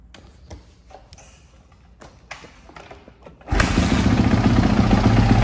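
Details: 2016 Kawasaki KX450F four-stroke after new bottom end, clutch cover, kickstarter, air filter, spark plug and valve clearance check: a few dull thumps, then it fires into a strong, even thumping idle with no knocking or rattle.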